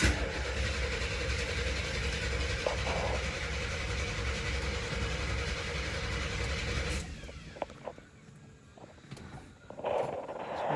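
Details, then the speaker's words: 1974 Camaro with built 350 V8 (mild cam, roller rockers, headers) cranking for about seven seconds with a steady rough churn as the dry fuel system primes, fuel not yet at the filter; easy to flood, slow to catch. "okay it started to pull some fuel up you can see it let's go crank it a little bit more I gotta be careful with this one because it's very easy to flood it out which will make it harder to start"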